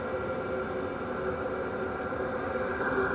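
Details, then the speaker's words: Wippro 8kW all-in-one diesel heater from Temu, running about 5 minutes on high with a duct extension hose, outlet around 176°: steady even whoosh and fan hum at constant pitch, no ticking or surging; running healthy. "d but it's nothing crazy especially for how much heat you're getting"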